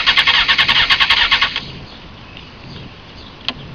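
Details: 2001 Honda CBR F4i, 31k miles, after a low-side crash on the stator side and new spark plugs: fast, even cranking for a second and a half that never catches. It earlier ran a minute then shut off; the bank angle sensor, solenoid and battery have been checked.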